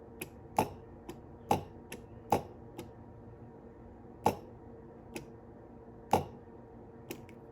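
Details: Goodman furnace replacement gas valve (VR8215S1214) coil energized on a DC bench supply drawing 186 mA: sharp clean clicks at irregular intervals as the valve opens and closes; normal solenoid operation.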